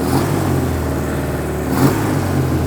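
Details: Suzuki Katana four-cylinder being recommissioned, after swapping two swapped plug leads: revving cleanly with an even, steady beat and no missing pulses, now firing on all four; fueling still not right.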